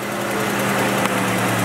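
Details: Green Jeep after a no-start, with the battery replaced and the starter connected: the engine catches and settles into a steady, even idle with a smooth low hum, no misses or knocks.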